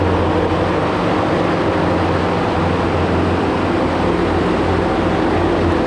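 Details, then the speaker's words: Loud steady diesel drone with a constant deep hum from a Quick Attach Mega Mower X 72-inch high-flow brush cutter on its first test run at 30 gallons a minute, spinning clockwise; no clunks, grinding or surging, running normally. "I only ran that at 30 gallons a minute which is as low as the high flow would go I just wanted to give it a test run just to make sure that uh it's spinning in the direction that I want and it is it's going clockwise"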